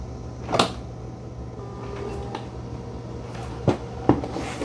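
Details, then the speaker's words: Dreame X40 Ultra robot vacuum at its dock: a few dull, separate clunks over a quiet hum as the mop pads are dropped before it undocks to vacuum carpet. Normal. "You'll hear a clunk. There it is. The mop pads are dropped, and now it's going to undock itself and go vacuum that carpet."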